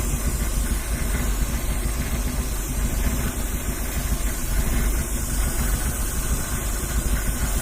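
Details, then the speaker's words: Z project car, petrol engine, first start, idling: faint steady hiss over the rumble, suspected vacuum leak at a fitting; owner plans soapy-water test and worries about possible rod knock. "there's something else going on I can hear it there's something I might have a leak"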